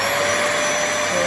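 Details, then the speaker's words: Dyson DC05 vacuum cleaner from 2000, well used, before restoration: steady high-pitched motor whine with even airflow rush, no surging or rattles; sounds powerful and healthy. "Quite powerful, and it's quite good too."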